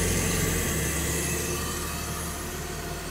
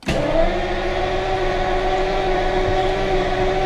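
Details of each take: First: 1977 Lucas-equipped V12 classic car after swapping a failed newer coil for the original 1977 Lucas coil, winter start-up; settles into an even idle with a steady low drone, no misses or knocks; normal idle, fault was the coil. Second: Classic car with Lucas electrics cranks steadily at about four beats a second for five seconds without firing; injectors not heard from inside the car but heard ticking through the window, slight fuel smell. Crank no start, cause unconfirmed.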